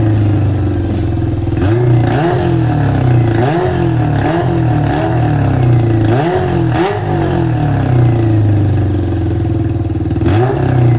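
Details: Home-built off-road golf cart with Honda CB400 engine and four square carburetors: revs cleanly on repeated throttle blips but sags and stumbles between them, won't hold idle; feels like not all cylinders firing, carb sync nearly set, cause unknown.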